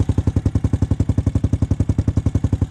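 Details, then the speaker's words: 2006 Honda TRX250EX after top-end rebuild (new cylinder) and fresh 10W40 oil: crisp, even single-cylinder thump at idle, about ten beats a second, no knock or rattle; sounds healthier, rebuild a success. "It sounds healthier. I think it's been a success. Sounds good. Nothing bad so far."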